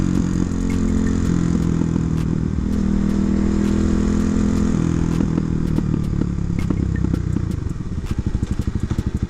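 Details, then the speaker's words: 2009 Kawasaki KLX250SF after handlebar replacement, single-cylinder: thumping with sharp irregular pops from the exhaust, busier off throttle; backfiring, owner suspects the jetting needs a little tuning. "I think it's uh the jetting needs a little tuning it's it's backfiring a little bit but"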